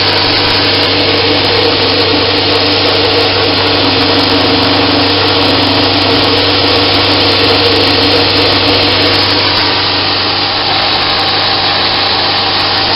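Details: Homemade 2x72 belt grinder at high speed on a metal table without rubber feet: high steady whine with even buzzing hum, holding speed smoothly; only slight table vibration, very smooth running.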